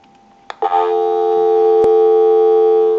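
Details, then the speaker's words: Western Electric 317 wood wall crank telephone converted with keypad, line switched out of analyzer: after a click, clean steady unbroken two-note dial tone before dialing time-and-temperature number; normal dial tone. "That'll give us a line out, totally take the analyzer out of the situation, and we'll call a time and temp number. We'll give you some dial tone."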